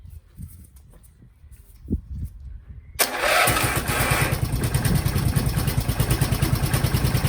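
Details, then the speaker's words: Briggs & Stratton 12 hp single on an MTD Lawnflite tractor: catches, then a rough, uneven chug that dies with any throttle; owner suspects a blocked carb jet; engine dies when throttle opened. "Well, that's clearly fueling. Why is that dying? Oh, it doesn't like full throttle. Okay. Or any throttle."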